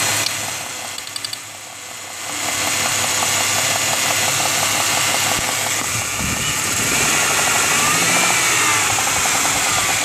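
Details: 1995 Ford Mustang 3.8L V6 at idle, warm: steady sharp knock about three raps a second over a hissy note; no knock when cold or under load to 2k rpm, knocks at idle and revved, louder with cylinder 6 plug unplugged.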